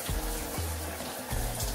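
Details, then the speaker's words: Lorenzetti Top Jet electronic shower after its heating resistance was replaced. Line bled of air, breaker on, temperature set. Steady rush of water with a low, soft hum as the element heats. Normal heating. "Tá ouvindo o barulhinho? Água quente."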